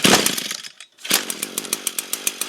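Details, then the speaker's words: Echo two-stroke string trimmer brought in for no start, after priming; catches and settles into a crisp even buzz at mid throttle, no misses or stumbles; running healthy, fault found to be a fouled spark plug. "All right, that's going, so we'll go mid."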